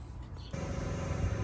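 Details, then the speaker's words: 2019 Honda Clarity hybrid on jack stands, wheel turning: a short quiet moment, then a steady low droning hum with no beat that vibrates into the cabin and sounds like an exhaust, heard at any speed when driving; worn wheel bearing. "Wheel bearing is wheel bearing is out. It hums, it's loud, it sounds like an exhaust."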